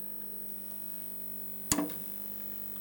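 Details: Solis grid solar inverter that starts but won't run (Zettler relay contact pressure problem): quiet steady low hum with one sharp relay click partway through as it switches in and starts up, showing generating.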